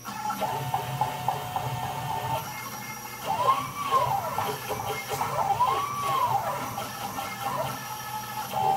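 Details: Small CNC router with new lead screws running at about 1,800 mm/min: clean stepper whine rising and falling smoothly with each move, no skipping or grinding; normal stepper axis motion.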